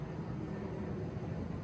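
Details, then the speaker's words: Casablanca XTR Panama ceiling fan on medium speed gives a steady, low droning hum with a faint rough flutter; the XTR motors are said to be commonly noisy. "like the the the xtr motors are known to be uh noisy but i am feeling a bit of a breeze from it so that's good"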